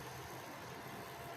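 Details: Recovered Foxconn LGA775 DDR2 motherboard, previously freezing, noisy and vibrating, booting Windows: smooth steady whoosh with no rattle, ticking or pitch wobble; normal CPU cooler fan.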